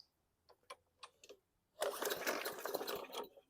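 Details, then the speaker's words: Murray push mower small engine: a few weak pull-cord strokes, catches for about a second and a half then peters out; fires but won't keep running, quick carb clean planned. "Okay, you heard that thing want to start but petered out, so this is going to be my first victim, I think."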